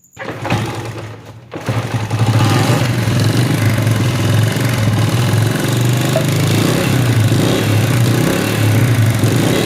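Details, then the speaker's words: Motorcycle engine started and idling with a loose tapping rattle from the top end of the head, caused by completely worn camshaft bushes; the fix is new bushes fitted by a lathe shop and a new cam. "इस cam की वजह से यह आवाज आ रहा है cam के Bush जो है वह बिल्कुल ही खत्म है"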